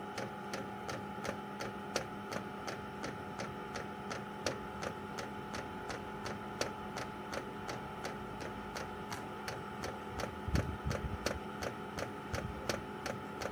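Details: Chinese 12 V diesel heater running on kerosene, outside a caravan, priming via held panel buttons: sharp even ticks two to three a second over a faint hum; owner thinks it's the fuel pump; normal priming.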